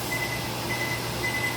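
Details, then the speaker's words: Microwave vent fan stuck running: steady fan rush with a low hum that never stops; pressing the vent button (three short beeps) does nothing, and the microwave won't work at all. "y'all have to excuse my fan in the background y'all"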